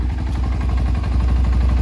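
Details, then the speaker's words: Single-cylinder ATV/dirt bike engine with new cam and rockers, lapped valves, stock OEM Keihin carb, lacking power (owner suspects timing skipped a tooth): steady idle and throttle blips, even thumping with faint rattle from down low; owner feels bottom end noisier, unconfirmed. "is a little bit more noisy I feel like in the bottom end"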